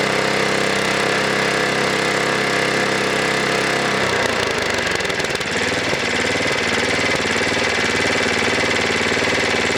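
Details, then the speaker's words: Snowblower engine high idle adjustment: screw turned inward checking for over-rev, then turned down from full throttle; loud single-cylinder buzz at high steady speed, then pitch drops and rough uneven beats as high idle settles; engine speed hunting at high idle. "okay so what I was doing there was I was turning the screw inward checking for over rev um and then letting it settle back and then I turned it down uh quite a ways like you here and the idle dropped all on its own um from a full throw position"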